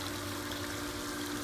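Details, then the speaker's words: Pool pump running quietly with a steady hum and trickling water, no grinding or rattle, after the motor, which hummed but would not turn, was freed by turning the impeller; much quieter than the other pump. "all right now that is way way way quieter than the other than life you never really realize how big of a deal that is until the high one is so loud"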